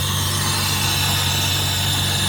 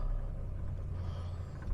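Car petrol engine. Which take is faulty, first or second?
second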